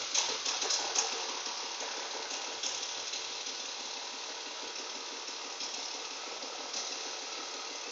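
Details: BMW E36 with M52 engine idling: light, rapid knocking about four times a second over a thin idle, steady and unchanging; cause of the knock not known.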